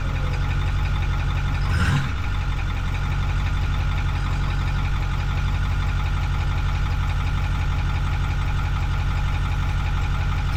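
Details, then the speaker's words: Ford 6.4-liter diesel truck idling briefly after an oil and fuel filter change to circulate the oil before checking the level: a steady, even low clatter after a quick start. No knocks or misses; the oil then reads about 3/4 up the dipstick. "Now, very last thing, just run it for a second, get the oil up through the filter and everything, and then I can check the oil level and see if it needs any more at all."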